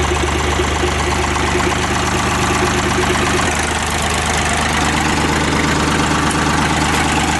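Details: Ford 3910 diesel tractor, unmuffled, just after broken return fuel line replaced, no leaks: steady, even idle clatter with no misses or stumbles; sounds healthy.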